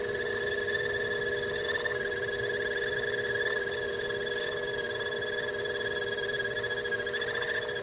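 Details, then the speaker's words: Lathe turning a homemade bench block while skimming the OD and facing: a steady, high, bell-like ringing as the tool chatters against the workpiece, so the feed is slowed. "ahead and feed it pretty slow as well just because you can hear it chatter."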